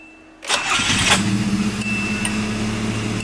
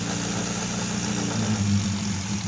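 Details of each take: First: 1988 Nissan Sentra E16i, still cold with low fuel, is switched off and restarted after troubleshooting: a short crank, then it catches at once and settles into a steady, even idle. A clean, healthy start with the car running normally again. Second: 1988 Nissan Sentra E16i during starting and running troubleshooting; idle hum climbs, then sags and recovers, rising and falling on its own; hunting idle.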